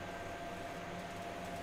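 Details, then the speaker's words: Riden RD6024 1500 W bench power supply at high amperage, temperature probe stable around 33 degrees: steady airy rush with faint constant whine, no rattle; fans ramping up normally though airflow seems low, voltage steady. "but since the temperature probe is staying stable and we can hear the fans ramping up I'd say that's working and the voltage isn't changing that much"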